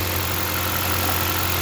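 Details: 2013 Jeep Compass after fixing a no-start: fuse 23 (ASD circuit feeding coils and injectors) kept blowing from a short at a capacitor behind the engine, now repaired. Smooth even steady idle, no knocks or misses; normal idle.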